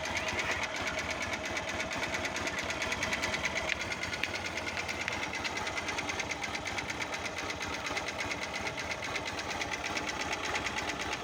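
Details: Honda Fan 125 motorcycle at idle: fast, uneven metallic tapping about three per second over the single's note; knock suspected from connecting rod or piston, unconfirmed.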